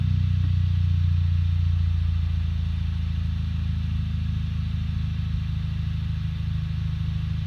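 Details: 2008 Audi A3 1.8 TFSI, cold start: a deep, lumpy idle with an uneven beat and engine shakes felt through the seat. Rough idle with misfire, only slightly improved after PCV replacement and a K&N cold air intake.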